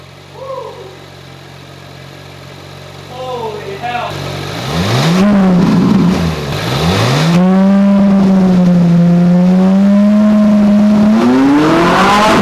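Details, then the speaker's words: Ferrari 458 at first start after rebuild and cooling work, first revs since acquired: a couple of sharp blips to about 5,500 rpm (redline around 9,000) rising and falling cleanly, then a steady even idle with no hunting; healthy. "and I was like barely really even getting on it that was only like five and a half thousand rpm and this thing tops out around like 9,000"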